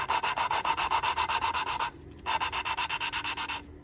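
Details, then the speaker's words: Hand lapping an engine valve into its seat: coarse, gritty rasping strokes with pauses to rotate; the gritty sound means the valve is not yet mated, expected to turn smooth. "So, and we're going to go by sound, and you're going to figure out what I mean by that here in a second. It's going to go from a gritty to a smooth."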